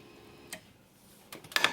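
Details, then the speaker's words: 2004 BMW 325i, no crank no start after engine replacement: relays click when pin 23 is grounded manually, fuel pump relay clicks and pump primes, but no DME response; DME suspected bad, not confirmed. "However, if I give it a ground, relays click, fuel pump relay clicks, the fuel pump is priming, but"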